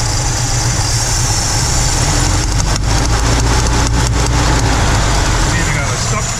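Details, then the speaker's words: 1968 Chevy C10 short bed carbureted engine, running after a new fuel tank was fitted: rough idle with irregular pops spitting back through the carburetor, about four per second; suspected stuck or burnt valve or bad camshaft, not confirmed. "So, hear that coming through the carburetor."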